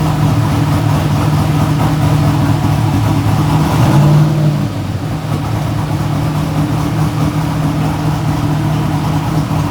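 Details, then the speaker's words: Idle of the V8 in a 1957 Chevy no-prep race car with a manual clutch, after repairs so the valves now seal. A deep, even beat with a brief throttle blip and no miss or tapping; it runs smoother than before. "No, but it runs way smoother now than it's run. I think having valves that seal are a help."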